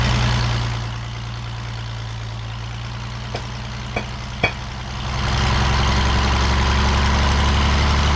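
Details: The Rockabilly Rat, an old engine, idles with an even low beat after getting spark to the plug and tweaking timing; it sags briefly mid-clip with a few sharp clicks, then picks back up and runs on.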